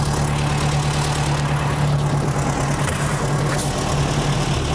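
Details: 1975 Volkswagen Shorty bus wheelie machine, running after sitting over 20 years: steady, low, even idle with a smooth throb and no knocks or misses; air-cooled engine running healthy.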